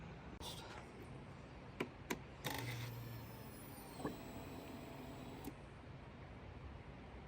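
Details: 2019 Yamaha Kodiak 700 after installing All Balls Racing fuel pump replacing intermittently starting stock pump: faint low electric hum for about three seconds after key on; fuel pump priming normally.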